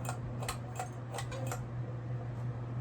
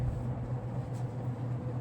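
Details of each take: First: General Electric top-mount antique ceiling fan switched from medium (2.06 A, 115 W) to high: steady low motor hum with a brief run of light ticks, about four a second, that fade; owner suspects the canopy scraping the electrical box. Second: General Electric top-mount antique ceiling fan on high, about 1.8–2.16 A, 129 W, roughly half power factor: steady low hum with a smooth, even whirr, no ticking, rubbing or wobble; well balanced and running healthy.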